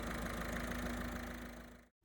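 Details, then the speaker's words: 1.5 TDCi diesel at idle with a steady droning buzz and fast rattly pulsing, a vibration seeming to come from behind the dashboard, caused by worn airbox mounting bushes; four bushes to replace. "If you're getting a vibration that sounds like it's behind the dashboard on the 1.5 TDCi engine, it is more than likely caused by the Airbox mounting points."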